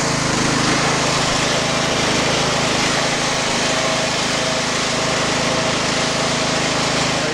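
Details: Craftsman LT1000 garden tractor after clutch cable replacement: steady, even drone with no misses, knocks or surging; running properly.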